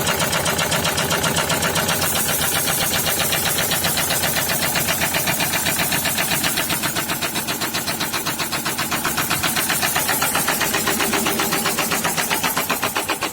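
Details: SsangYong Kyron D20DT diesel at idle: hard steady knock about four per second over diesel clatter; cylinder 4 rod knock from oil starvation after mechanical oil pump failure, no warning light or fault code.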